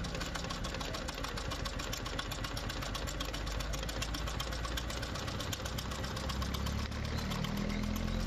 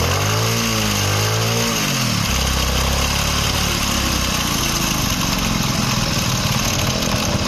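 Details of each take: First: Small single-cylinder motorcycle, previously hard to start when cold in winter, after a small setting adjustment: steady idle of about four beats a second, firing evenly with no misses or hunting. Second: Kick-start motorcycle, engine warm, starting after one or two kicks but stalling when throttled; hard cold starts in winter mornings; engine picks up briefly with a wavering rev, then sags to a rough, uneven idle; lean carburetor mixture.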